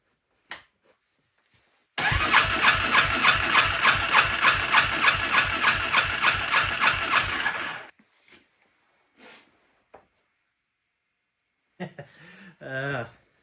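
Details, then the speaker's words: Yamaha Warrior ATV with drained tank, fresh fuel, new fuel line, choke on: about six seconds of even cranking, roughly three turns a second, never catches because the spark plug wire was left off. Crank, no start, no spark. "See any reason why it might not start? I forgot to put the spark plug wire back on."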